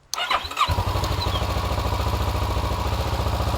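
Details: 2012 Kawasaki Ninja 650 in neutral with kickstand down, during a starter solenoid test: the starter engages at once and spins the engine with a quick, even chugging beat; normal starter cranking.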